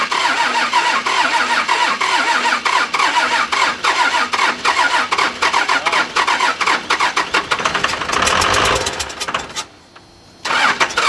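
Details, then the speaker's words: 1997 Dodge Cummins 12-valve diesel, manual, wrecked front end, no coolant, first start after bleeding injection lines; starts well but runs with a fast uneven slapping clatter, suspected fan out of balance hitting something. "sounds like the fans touching something it's way out of balance it's definitely hit something but it actually started really freaking good that's a 12 valve cummins for you right there"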